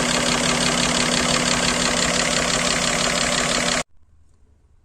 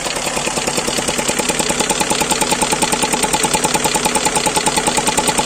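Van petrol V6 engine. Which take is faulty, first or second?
second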